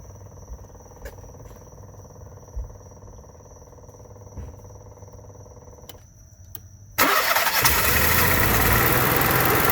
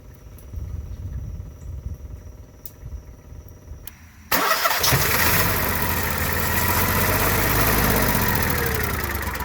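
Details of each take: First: Onan Marquis Gold 5500 generator after carburetor cleaning and adjustment (mixture now about three turns off the seat, previously surging and needing choke) catches and settles into a steady, even drone with no hunting or surging; normal running. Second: Onan Marquis Gold 5500 generator, which earlier would only run on a manipulated choke, after a first carburetor cleaning and priming: quiet, then loud steady churning as it cranks but never settles into an even run; won't start.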